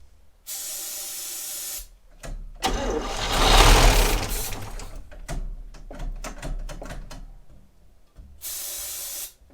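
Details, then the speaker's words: 1960 Chevrolet Step Van, first start in almost a decade, running on starter fluid after replacing the ignition points, with exhaust leaks: it catches in ragged, uneven bursts, stumbling between firings with a hissy exhaust and backfiring; running very rough. "uh it just backfired all over my hand holy yes okay it wasn't running for that long"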